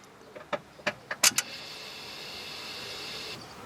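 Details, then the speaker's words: Honda Accord with electrical no-start fault, starter command wire tested: a few light key and relay clicks, then only a faint hiss; starter never turns, nothing cranks. "ok vas-y démarre et ça fait rien"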